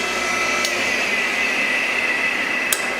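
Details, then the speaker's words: RIDGID R4512 table saw motor, reassembled after humming and tripping the breaker, centrifugal-switch fix: steady, even whine with no hum or stumbling, one faint click as the switch opens; running normally. "all right time to fire it up and see what goes on okay it's spinning no problem"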